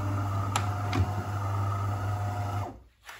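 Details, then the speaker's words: DeLonghi coffee machine, reference working unit: smooth even brew unit drive motor hum with soft clicks, no metallic rattle; main brew unit shaft gear healthy, unlike the faulty machine with metal sounds and red triangle error. "you don't hear any metal uh sounds uh the sounds like uh a coin in the metal can here perfect"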